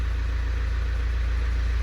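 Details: Fiat Doblo after body control module firmware restored: engine starts and holds deep, steady idle with even low rumble and no misses, knocks or wavering; running smoothly.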